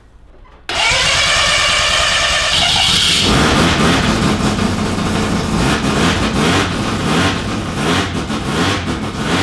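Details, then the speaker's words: Freshly built studded semi-peripheral-port FD RX-7 13B turbo rotary in the Project Redline Mazda, first start-up, premix oil in fuel, coolant only about 40°C: catches abruptly and settles into a loud, raspy, fast-pulsing idle that keeps running. "smells like a mesda now we haven't done a shed skid we've just started up a Mazda"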